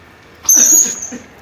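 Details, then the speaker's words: Paper guillotine cutter gives a sharp half-second high-pitched squeal as the lever comes down; lubricating did not stop it, traced to the blade latch screw. "Por que essa jossa tá gritando igual porta de filme de terror ó ela tá gritando quando Desce"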